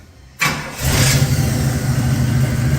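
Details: 1966 Pontiac Catalina wagon V8 after new power steering pump installed: starter catches within half a second, settles into steady even rumble with no belt squeal, alternator charging about 13 volts; normal engine start.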